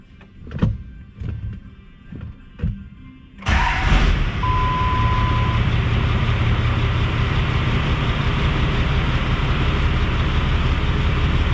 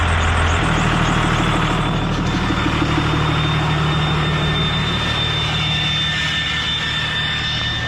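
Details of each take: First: 5.9 Cummins 12-valve diesel truck with new 4K governor springs, after an idle adjustment: a few clunks, then a low, steady, even, responsive idle with no hunting. The owner says it is the best idle it has had, though a bit low. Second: 5.9 Cummins 12-valve diesel with VGT turbo revving: heavy rumble with a thin steady high whistle and strained, choked note; the exhaust brake keeps sticking on.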